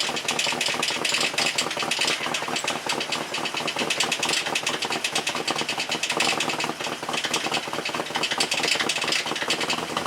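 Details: Jeep TJ that would not run only because it was out of gas, engine already due for rebuild: rough, uneven idle with a rapid high-pitched clattery knock over the top; bad-sounding engine, cause not stated.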